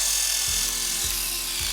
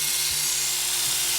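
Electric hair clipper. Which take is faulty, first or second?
first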